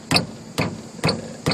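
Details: Front tire shaken by hand produces four sharp metallic clunks about half a second apart; traced to a loose idler arm missing its rubber bushing, worn idler arm bushing.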